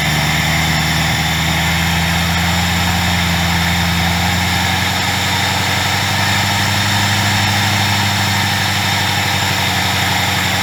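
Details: 2003 Mercury Marauder V8 idling after new ignition coils and resealed coil-well o-rings (oil had been getting into one): deep, even low rumble without misfire, ticking or knocking; engine sounds healthy.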